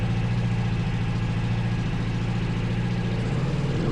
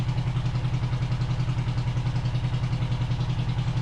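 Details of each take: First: 500cc twin-carb buggy, revs raised during carb balancing with SyncPro: lumpy low twin burble with throttle blips and a bit of backfire, settling to a steady run; both cylinders now firing, sounds better. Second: 500cc twin-carb buggy on a stand, on choke while warming up before carb balancing after sitting since winter: lumpy idle about three and a half beats a second, hollow uneven beat; one cylinder dead, no vacuum on it, running on one cylinder.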